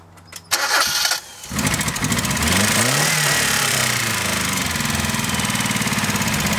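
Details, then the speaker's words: Ford Festiva sat three years. It catches after a couple of cranks into a lumpy, uneven, stumbling idle. Rough running; the owner suspects three-year-old gas. "well there you have it it runs terrible I think it's the three year old gasps"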